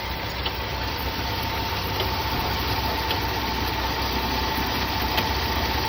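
A thin, steady whine holds one pitch over the idling engine; the AC is making noise, but clutch versus compressor can't be told.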